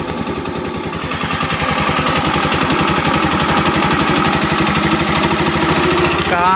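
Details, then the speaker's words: Rex RS 450 four-stroke scooter single at idle after cold valve clearance adjustment to 0.10 mm: even fast putter with only a faint light valve tick, previous sewing-machine clatter gone; normal idle. "naprawdę całe słychać ich stukanie bardzo cicho, musi być naprawdę słuchasz uważnie zawory już nie są tak głośno jak wcześniej, zanim to się stało Brzęk brzmi jak maszyna do szycia a teraz zniknęły maszyny do szycia"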